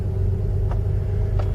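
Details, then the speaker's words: 1995 Jeep Grand Cherokee 5.2 V8, previously hard-starting below 35°F with 1200 rpm high idle, after Seafoam and throttle body cleaning: starts right up at 22°F, deep even cold idle rumble with no knocks or misses. "Well, it cranked right up this morning. It's 22 degrees."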